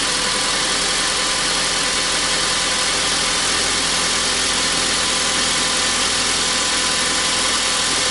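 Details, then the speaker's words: 2003 Honda Civic after head gasket replacement, idling with smoke from gunk on the exhaust manifold; steady, smooth idle with no knocks or misses, no overheating after 25-30 minutes; previous idle overheating fixed. "See, there's the smoke coming from the exhaust manifold. It sounds good."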